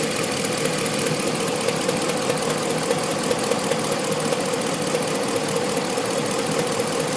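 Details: 2014 Ram 1500 V8 at idle: steady light tapping about two or three per second over a faint hum, suspected valve train knock, unconfirmed.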